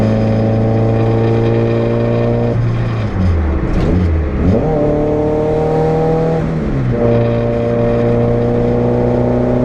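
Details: Renault 5 GTT under boost, GoPro test: pulls cleanly, then stumbles and drops pitch twice mid-pull under load before recovering; misfire on boost.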